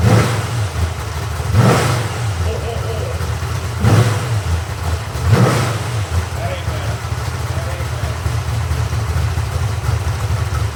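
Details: Freshly rebuilt 1970 Corvette LT1 350 V8 on a test stand, with a rebuilt and tuned Holley 4150 carburetor and Walker Dynamax mufflers. Deep, steady burble; three clean throttle blips rise and fall back smoothly. Healthy, well-tuned running.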